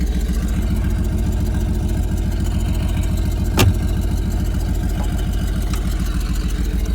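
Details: Dodge Dakota regular cab after used transmission fitted and fuel added: steady, even low idle with smooth regular beat, no misses or knocks; normal idle.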